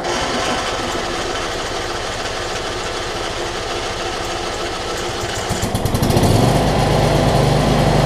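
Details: John Deere LT166 riding mower with a retrofitted 46" deck, after sorting out its starting issues and solenoid cable: small single engine catches and settles into a steady, even putter, then picks up smoothly with no misses. Starts and runs healthy.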